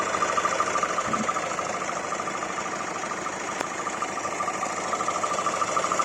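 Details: Hyundai i40 1.7 CRDi diesel at idle: steady idle with a faint high tick repeating two or three times a second; unidentified strange noise, source unclear.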